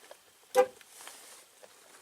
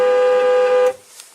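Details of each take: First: 2004–2008 Ford F-150 horn after reinstalling the steering-wheel horn pad to address a continuous-honking fault. Pressing the corners honks but the middle doesn't. Four short clean honks, silent between presses: horn working normally. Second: 2004–2008 Ford F-150 (2005-on): the horn blasts steadily at one pitch by itself, then cuts off abruptly when the horn pad is lightly tapped. Owner believes the horn switch is sticking rather than another part.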